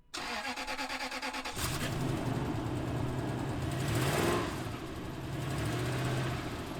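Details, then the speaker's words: First-gen Toyota Tundra start and heavy throttle: rapid ticking flutter riding the exhaust as revs rise, present since purchase; exhaust manifold leak, usually a cracked manifold, occasionally a gasket. "it's had a slight flutter when it starts and when I put it under heavy throttle you can actually hear it in this clip right here"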